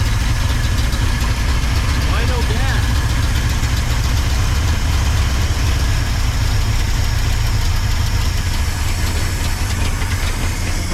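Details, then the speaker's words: 1979 Ford F-250 welding truck, long-dormant V8 being revived; the starter churns it over steadily for ten seconds without catching: no start, no fuel reaching it, and they question whether the fuel was hooked up right. "no gas did you hook it up right down there"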